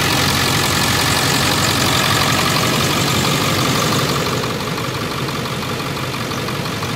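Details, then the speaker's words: Ford F350 Super Duty 7.3 Powerstroke diesel after water pump, tensioner pulley and upper hose replacement and coolant refill: steady, even idle clatter with no knocks, squeals or hunting; no leaks or bubbles. "looking good y'all hey everybody everything seems to be working properly no leaks no bubbles"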